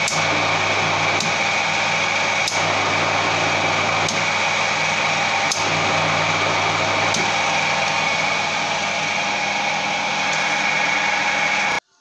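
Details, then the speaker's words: 15 kW, 30 A, 380 V delta induction motor used as rotary phase converter in star on single phase, driving lathe with power factor correction switched off: steady electrical drone with coarse growl; motor growl without power factor correction. "DE LEHET HALLANI A GÉP HANGJÁN, EZÉRT MOST NEM MÉREM NEM TUDOM MENNYIRE HALLATSZIK HOGY ELKEZD MOROGNI AZ ESZTERGA"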